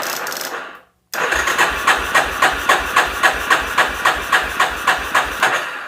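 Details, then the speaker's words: 1988 Yamaha Terrapro ATV on a jump box: even, slow starter churn at nearly four compression beats a second with no catch or fire; owner suspects it is not turning over fast enough. "I don't hear it trying to start it's not even giv a little bit of fire it's just a r r r"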